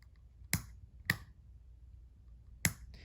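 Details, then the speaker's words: 1995 Honda Shadow VLX 600 VT600CD with a no-start problem: three sharp, uneven clicks as the starter relay chatters. Owner suspects a dirty switch contact that works only when pushed fully down and needs electrical cleaning. "so this switch is dirty so what i need to do i mean i'm assuming it's dirty i just need to do some electrical cleaning in there and if it's all the way down and i kind of push on a little bit it works"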